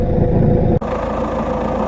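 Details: Peugeot 407 SW 2.0 HDi diesel at idle: a rough, uneven low chatter under the engine note from a failing dual mass flywheel, heard as a clutch noise.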